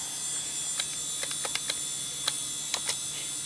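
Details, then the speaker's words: Old Dell Precision 340 with a 2 GHz Pentium 4: the ball-bearing hard drive gives a constant shrill high whine with a few faint clicks. "there's the hard drive that's just shrilling away over there that's the thing I don't miss about old hard drives with ball bearings God that noise drives me nuts"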